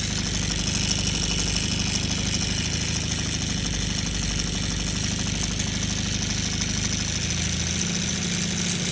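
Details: Honda CB550 four-cylinder motorcycle at steady idle with a loose, uneven metallic rattle over the exhaust; source unknown.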